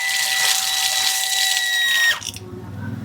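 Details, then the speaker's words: Shimizu PL-122 BIT water pump set up as a booster with a flow switch, first start: hissing spurt with a whistle as trapped air clears from the opened tap, then water flows and the pump cuts in smoothly; normal start-up with air purge. "Terdengar ada udara yang keluar."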